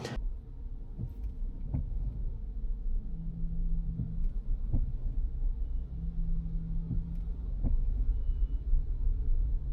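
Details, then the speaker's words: Tesla Model Y Performance recorded from the cabin while slowing to a stop; low rumble with irregular soft knocks every second or two from the front, random and intermittent, cause unknown pending service; intermittent clunk when braking to a stop. "from the cabin while I was driving, and I was slowing down to a stop, and I could hear the sound."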